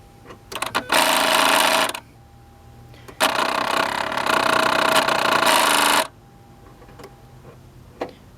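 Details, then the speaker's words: 2003 Mazda 6 with Duratec V6 and cold air intake: the electronic throttle body motor gives two bursts of harsh rapid buzzing chatter, alongside severe throttle delay, poor acceleration and stuttering idle; the failing throttle body is replaced. "he's got this chatter noise and what we're gonna do is we're gonna replace it"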